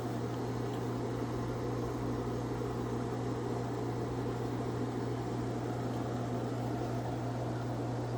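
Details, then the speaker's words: Through-wall air conditioner in first warm-weather test run, already cooling well: steady low hum over even rushing airflow; owner says something is wrong with the fan motor, cause unconfirmed, unit not removed from wall. "The only issues I really have with this thing is that there's something up with the fan motor, but I can't get the machine out of the wall."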